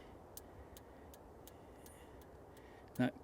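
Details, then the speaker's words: 1975 MG Midget 1500 with a starting problem: faint, evenly spaced clicks, about three a second, from a weak ignition spark; it is sparking but not powerfully, though the car ran fine when it did run. "clicking if you can hear it is the spark however it's not very good it is sparking but it's not good we're not getting a very powerful spark and the Spark's too weak"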